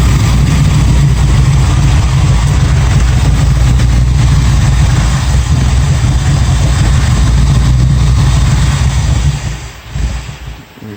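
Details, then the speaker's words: 1965 Ford Mustang 289 V8, 4-speed, new 2bbl carb and performance cam: loud, lumpy, uneven lope, won't hold a clean idle; owner suspects vacuum leaks and a cam too big for the setup, and it may be low on gas. "it's a pretty good sized cam in there of course it's doing whatever it's doing running out of gas but we'll see"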